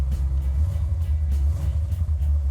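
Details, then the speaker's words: 1970 Dodge Challenger 440 Six Pack, three Holley two-barrel carbs (1,350 CFM), 4-speed, Comp Cam 284 duration; deep rolling V8 rumble with a rhythmic lope, steady even firing: normal big-cam idle. "Idle's nice, has a nice bump stick to it."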